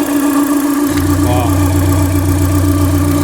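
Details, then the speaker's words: Renault Duster 2.0 at idle; noise persists with the alternator belt removed, and the water pump, idler, tensioner and timing belt have already been replaced. Steady low drone with a constant humming tone: abnormal engine noise, source unknown. "Tá com esse barulho no motor."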